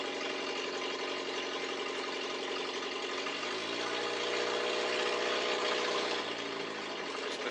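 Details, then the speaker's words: 42-year-old carbureted car with an automatic, just started after sitting a while: an uneven, lumpy idle with a loose puffing beat; it runs rough because the exhaust back pressure is off and the choke is still partly on. "You can hear her with the back pressure screwed up. She doesn't like running smooth. Plus, her choke is still on a bit."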